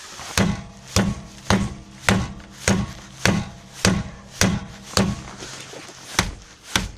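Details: Rear wheel knock on rocking: dull, even knock about every half second, one per push; struts recently replaced, brakes held to rule out calipers; not heard while driving except slight knocks on sharp bumps; cause was a torn front lateral arm bushing at the hub.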